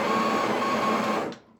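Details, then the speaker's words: Breville Barista Express BES870 built-in grinder purging about 3 seconds after changing to grind size 2: even high-pitched whirring grind, then spins down cleanly; normal grinder operation. "I'm going to get rid of 3 seconds worth of grinding because I uh changed the grind size"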